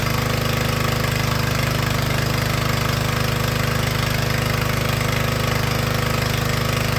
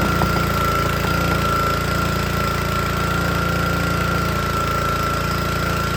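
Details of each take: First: Troy-Bilt log splitter with small Honda engine driving the hydraulic pump, run about 5 minutes under load to check the hydraulic fittings for leaks: steady, even single-cylinder drone with a regular beat, no misses or knocks. Running healthy. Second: Troy-Bilt log splitter with a small Honda engine driving the hydraulic pump, whose air filter had got wet: runs rough with an uneven beat, never picks up, and bogs and wants to stall as soon as hydraulic load is applied.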